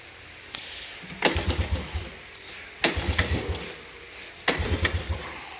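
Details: Suzuki Quadrunner LT125, sat 3+ years, bogging issue, just after carburetor clean and reinstall, choke on: three short cranking bursts of chuffs about a second and a half apart, never catches; cranks but won't start yet.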